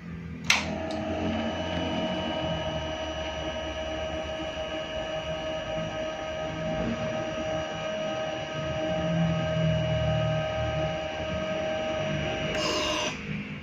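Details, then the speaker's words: Suzuki Raider FI 150 after an ECU reset, key on: a steady mid-pitched hum of about ten seconds or more that cuts off cleanly. This is the fuel pump priming, longer than usual, with a slight hiccup. "So dito na part mga gapang, meron tayong maririnig na ugong dyan to 10 seconds."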